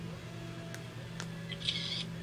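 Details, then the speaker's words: Waspcam Tact action camera in photo mode (selected with the M button): pressing the square button gives a brief high-pitched electronic shutter chirp over faint room hum, the normal confirmation that a photo was taken. "you want to take a photo just push the square button and you'll hear that little shutter"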